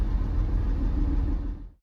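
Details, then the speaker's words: 2005 BMW E46 325i with inline-six, on start-up while being shown for sale: fires right up into a short burst of deep, even low idle rumble with no obvious misfire or knock; idle fairly decent but not the best; normal idle. "fired right up the idle is pretty decent right now not the best but uh it's"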